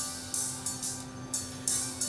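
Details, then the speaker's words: Akai 4000DS Mark II three-head reel-to-reel deck: with the tape stopped, faint drums and cymbals still come through, signal leaking past the dirty tape monitor switch before cleaning the controls with DeoxIT. "can hear the sound is still leaking through my tape monitor switch a bit here."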